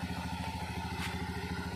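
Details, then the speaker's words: Honda Scoopy FI after repairing rat-chewed wire to the ignition coil that caused no spark: even, steady putter at a settled idle, no misses or stumbles; running normally. "oke teman-teman karena motornya sudah normal kembali ini kita tinggal rapikan aja nanti"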